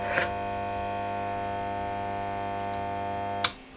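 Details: VVT Lindy Fralin model valve amp combo, tested on the bench while measuring filter capacitor voltages: loud, steady, low buzzing mains hum that cuts off with a click.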